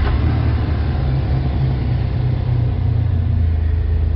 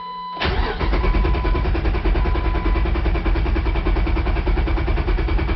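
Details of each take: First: 2004 Jeep Wrangler 4.0L six-cylinder, idling during a synchronizer check that shows sync in range at about 6–8 degrees: low, steady, even rumble with no miss or hunting; healthy idle. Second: 2004 Jeep Wrangler 4.0L six-cylinder, about 250,000 miles, code P0340, scan tool showing cam/crank going in and out of sync: steady cranking about four beats a second for six seconds without catching; cam sensor/synchronizer fault, long crank no start.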